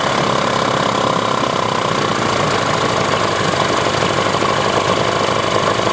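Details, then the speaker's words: 1994 Johnson 15 hp outboard with impact damage, dual coil setup: coarse, uneven chugging idle that sounds like running on one cylinder; owner suspects a gummed-up carburetor, not confirmed. "doesn't idle well at all. So she's rough, so I'll clean her up a little bit. And it sure sounds like it's running on one cylinder, but it could just be the carburetor's all gummed up too, and it's halfway delivering fuel the way it's supposed to."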